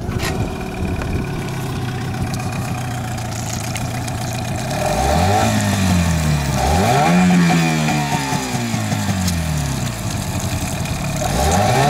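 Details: Yamaha outboard (8 or 15 hp) during a 92 vs 95 petrol comparison: even idle, then clean rev rises and falls with no stumbling; normal running.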